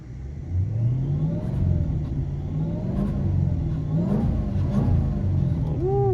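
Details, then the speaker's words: Dodge Charger R/T 5.7 AWD with Whipple 3.0 supercharger on base tune, hot at 190°F coolant after a restart: repeated throttle blips with a thin whistle rising and falling each rev; normal supercharger whine. "Let's see if we can hear a little bit of the whistle."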